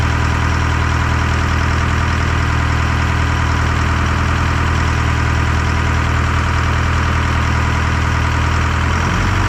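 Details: Detroit 4-53T diesel with 7A77 injectors back in after 9G90 failure and loose fuel suction hose clamp replaced; deep, steady rumble with even beat, no misses or knocks; normal idle.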